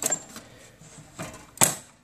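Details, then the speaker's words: Statim 2000 steriliser after refitting the solenoid valve core: powered on, crisp single clicks at uneven intervals in a quiet room as the solenoid valve opens and closes normally. "switch it on we've got power and we can hear that solenoids clicking"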